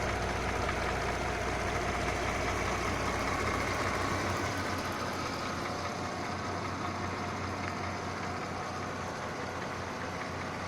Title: Mercedes Benz GLK 350 Bj. 2009 Klaggerndes Motorgeräusch 2